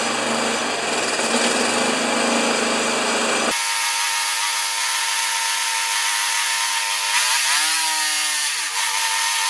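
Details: Old Briggs thatcher mower started with dirty air filter removed, primed, expected to smoke: small engine buzzes at a steady pitch, then sags and recovers twice unevenly; running rough and hunting.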